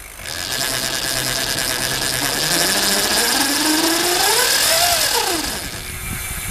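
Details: Lightning Rod Big Block electric bike kit, run under throttle with its chains; the whine climbs steadily in pitch, peaks, then falls as it spins down, a clean, even sound; the owner notes a slight wobble but the drive sounds healthy.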